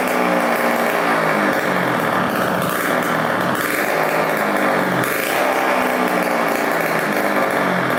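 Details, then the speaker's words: 1987 Kawasaki KX125 two-stroke, after a gas leak was fixed, with a silencer but no expansion pipe fitted; a loud, raspy, steady buzz with no sputter or misfire. Normal running. "we'll start up again and let it run for a bit get that oil circulating and uh hear how it sounds now that there's no gas leak"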